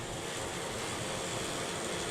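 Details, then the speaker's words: Saris H3 direct drive trainer, riding at about 100 W target and about 100 rpm cadence: only a soft, even whir, no knocks, clicks or rubbing; quiet, barely audible, healthy running. "it's quiet. Can barely hear it."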